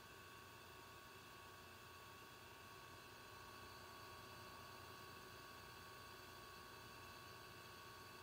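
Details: Dell XPS 8930 desktop in its original configuration, before the fan-noise fix: a constant loud rushing whoosh with a faint steady tone that never lets up, like a jet engine; loud fan noise.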